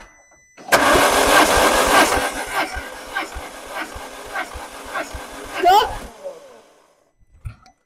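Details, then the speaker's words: 2005 Peugeot 1007 1.6L 16V 109 hp no-start during compression test: steady uneven crank under two beats a second with no catch; only cylinder 3 holds half compression, others poor, timing belt intact, piston rings believed gone. "मैं कहूंगा कि हमें गलती मिल गई है, संपीड़न को देखो, तबाही एकमात्र सिलेंडर है जिसमें अभी भी आधा संपीड़न है, तीसरा है, अन्य सभी अच्छे नहीं हैं"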